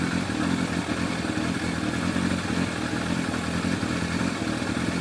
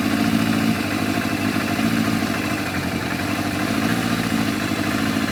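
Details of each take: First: Yamaha FZR1000 four-cylinder with rebuilt carburetors after Digi Sync balancing: smooth steady idle with an even note, no hunting or stumble; readings all 58–60, carbs balanced. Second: Yamaha FZR1000 four-cylinder with rebuilt carburetors, just started before synchronising: steady idle with a slightly uneven, lumpy pulse under a constant drone; carbs out of balance.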